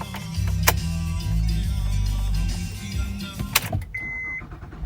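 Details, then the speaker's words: 2007 Honda Pilot, intermittently won't crank when hot or after sitting; fails to start in park, starter cranks and engine catches in neutral; owner suspects faulty neutral safety switch, not confirmed. "go now it starts in neutral so that shows that I think they called it a neutral safety switch"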